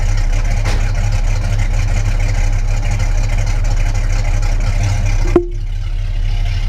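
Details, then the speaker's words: Newly built custom Falcon with a 1990s V8 and a single Walker Quiet Flow 3-stage muffler into a Y-pipe; deep, even idle rumble with a soft rolling gurgle heard at the tailpipe; healthy. "It's nice and quiet inside the car, but you let it get a little bit of a gurgle out the back."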